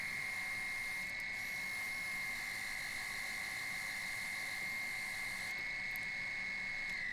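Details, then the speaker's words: Woodturning a 21-inch platter, third rim design cut slightly deeper: steady high singing ring over faint motor hum as the thin rim vibrates against the tool, lathe chatter. "now you can hear the vibration in the two West there"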